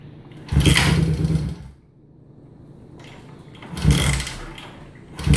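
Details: 1971 Honda CB350 motorcycle: two or three bursts of steady starter churning with no catch or firing pulse; cranks but will not start.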